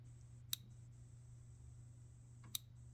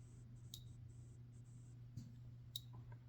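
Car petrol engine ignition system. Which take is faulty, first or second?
second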